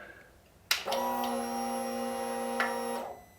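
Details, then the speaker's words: 2018 Indian Scout Bobber with S&S air filter and Vance & Hines exhaust, after Power Commander V install: key cycled to check for fuel line leaks. Steady buzzing whir about two seconds, stopping cleanly. Normal fuel pump prime. "One last thing we need to do before we call it a day is cycle through the key and see that there is no fuel coming out of the fuel line."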